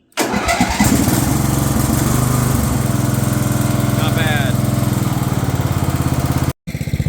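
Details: Craftsman LT1000 riding mower engine after repairs to starter, carb and sump gasket, started after sitting about two weeks; catches almost instantly and runs at a steady even beat, no stumbling or misfire; normal start.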